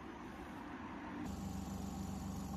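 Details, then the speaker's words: Semi-automatic washing machine spin-dry motor after repair (failed-capacity capacitor, one of two, replaced with 12 µF): steady low even hum as the spin motor now starts and turns normally. "这个位置是脱水的马达，正在转动。这个马达负责洗衣服的正转、反转，这个马达负责脱水的，它可以启动，可以转动。"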